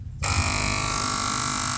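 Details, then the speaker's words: Kada 850g gas compressor (new, would not run until two wires shorted directly): after a click it starts when shorted and hums steadily with an even high-pitched whir, no stalling; compressor itself runs normally, suspect part under investigation. "अभी जैसा कि आप देख रहे हैं सुनिए आवाज़। और ये चालू हो गई।"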